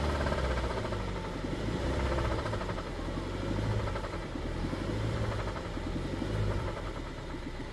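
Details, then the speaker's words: BMW 320i E92 N43 engine after months of rebuilding and a persistent misfire on cylinders 1 and 3: rapid deep knock under the engine note, about four per second, roughly steady. It began about 80 miles into a drive and grew louder; rod knock, shell bearings reportedly fine. "Yeah, we developed a rod knock."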